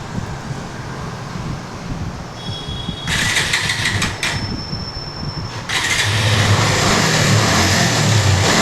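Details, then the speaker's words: Bajaj Avenger 150 Street after CDI replacement: quiet start, engine catches around three seconds and revs cleanly to a steady even run; starts easily, no-start problem fixed. "Start చేయండి ఒకసారి వచ్చి బండి బండి ఇప్పుడు ఈజీగా start అయిపోతుంది ఏం లేదు చూడండి"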